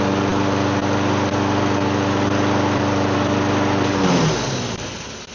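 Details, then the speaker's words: Donated lawn mower that wouldn't start, fixed with carb cleaning; steady even engine drone at one speed for four seconds, then smooth wind-down at shutoff. "Yeah, it just needed carb clean and new air filter."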